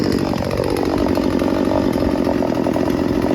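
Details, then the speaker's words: Craftsman 16-inch 38cc two-stroke chainsaw with a crisp, buzzy note holding steady with no bogging or sputter; brought in as faulty but found running really well, fuel-air mixture low and high judged perfect. "There ain't nothing wrong with this chainsaw. It runs really well. I had it at full throttle, didn't bog at all. It means it's a perfect fuel-air mixture, low and high."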